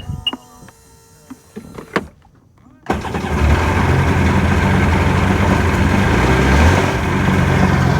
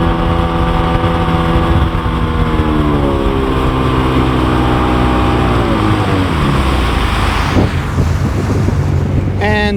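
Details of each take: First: 2002 Sea-Doo GTX DI with maintenance light above about 3,000 rpm, after stator, crank position sensor and new used plugs: engine catches and idles with uneven stumbling beat and skips, misfiring; cause unknown, owner suspects bottom end. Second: Sea-Doo GTX Di watercraft engine pulling cleanly on the water, pitch easing and rising with throttle, after a teardown for suspected front PTO bearing noise (failing fuel pump gives the same symptom); normal running under load.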